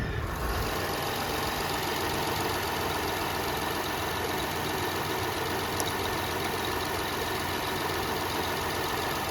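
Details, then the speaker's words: 2006 Toyota Highlander 3.3L after water pump replacement (was losing coolant): smooth quiet even idle with steady hum, no ticking, squeal or grinding from pump area; no leaks, normal idle. "Sounds good, she's running good, she's firing good. Let's go run her up a little bit. See, make sure everything's working right. All right, she's sounding good."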